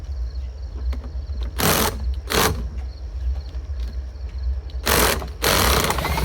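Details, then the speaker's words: Lawn-Boy "bricktop" two-stroke mower spun over in short bursts with a drill, turning freely with a soft pulsing and popping that suggests it has compression; good cranking, with hot spark seen afterward. "Spun her over a bunch. You can hear it popping like maybe it's got some compression."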